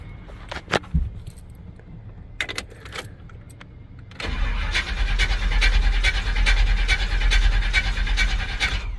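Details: Chevy truck with a crank no start condition, cranked off a portable jump starter box: steady rhythmic starter cranking, about seventy pulses a minute, several seconds without catching; crank, no start.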